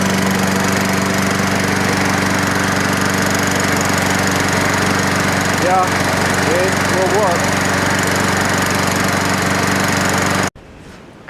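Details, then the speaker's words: Toro Recycler lawnmower after the governor was adjusted and the idle speed adjusted. The single-cylinder holds a steady, even drone with no misfire or surging, then shuts off cleanly; it is running normally. "seems to be working good what I did was you know I just did the government the best I could then I took the I can see in there I turned the the idle lump you know that's a good speed"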